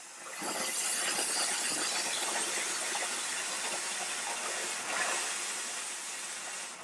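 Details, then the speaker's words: Chief Steamer heated with good pressure, single-hole nozzle, cold empty hose: valve opened from minimum to maximum, strong steady airy hiss swelling and holding even, no sputter; normal full steam discharge. "and that's the maximum amount of steam"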